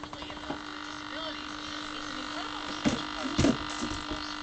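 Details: Tempest TEQ-3302 radio cassette recorder on FM with volume down: steady low mains buzz under faint clicks, unchanged; hum traced to an open input coupling capacitor, gone after fitting a replacement 33 µF capacitor.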